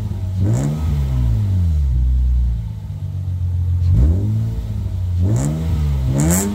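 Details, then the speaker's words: Lexus IS200 with rear muffler removed (muffler delete), recorded from behind: loud, deep, low exhaust note swelling and falling with each throttle blip, boomy drone, somewhat noisy. "I don't know if the camera will capture it properly at this point but i have to tell you that the sound is really nice it's such a nice low tone it's not that much strong although it is a bit noisy"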